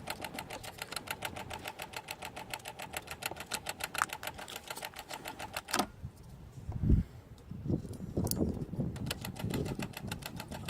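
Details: Alfa Romeo 156 1.6 TS that won't start: rapid, even fuel pump relay clicking, about eight a second for several seconds, then silence, with the diagnostic light flashing. Cause was a failed electronic throttle body/ECU; replacing the throttle body, ECU and code box fixed it.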